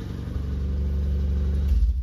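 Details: Nissan Sentra brought in for crank-no-start, now running on a temporarily wired test replacement fuel pump with the aircon off: steady low note that swells smoothly as throttle opens, no knocks or misses; an exhaust rattle was noted at startup.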